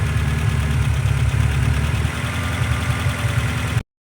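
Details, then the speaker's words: Honda CR-V with misfires, idling low; rough, sputtering lumpy idle; owner says it would die in gear and suspects fuel pressure or a vacuum leak, fuel pressure not yet tested. "Still a little low, but you can definitely hear it sputtering and putting."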